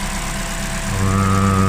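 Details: Opel Corsa D, Z14XEP 1.4 16V 90 hp petrol, just after timing chain kit replacement: even idle swelling into a brief rev, only light fast injector ticking, no chain rattle. Normal running after repair.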